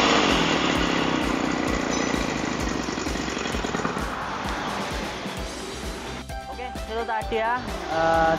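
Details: Lawn mower single-cylinder engine after servicing, having failed to start with an odd noise, likely a carbon-fouled spark plug: it fires and settles into a fairly even chugging run of about four beats a second, no misfire; normal running.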